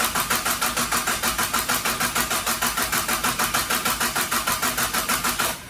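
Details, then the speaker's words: Mitsubishi Starion/Conquest G54B engine just reinstalled, before its first start: even starter cranking at about three strokes a second with no firing, then it stops; cranked on purpose to build oil pressure, which had not come up yet. "Nope, oil hasn't made it up yet. So we're gonna continue to crank her until we get some good oil pressure, and we'll fire her up for the first time."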